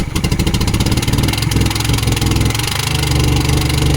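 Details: 1972 Volvo 145 four-cylinder, first start after purchase with fuel rigged and vacuum ports plugged: lumpy, uneven chugging with a loping beat that never smooths out, running on two cylinders because two plug wires were off; very hard to start.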